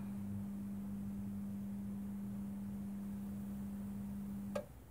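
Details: Mike Smith Metro lantern retrofitted from a CDO lamp to a GEC high-pressure sodium lamp, running outdoors. Steady low mains hum, then an abrupt cutoff with a faint click as the photocell switches it off in daylight: normal, healthy ballast.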